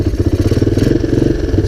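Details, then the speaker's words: 1985 Honda ATC250ES Big Red single-cylinder, cold start next day on choke, jump pack attached, not ridden in 3 years, carburetor recently swapped: quick, choppy putter, about fifteen pulses a second, slightly uneven beat; rough cold running. "cold so excuse his fussiness run some choke"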